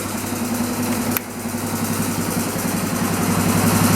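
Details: Single-cylinder dirt bike after sitting long, smoking heavily with choke off: fast busy idle with light rapid ticking about four taps a second; owner says valves sound chattery and rpm very high, suspects carburetor; cause not confirmed.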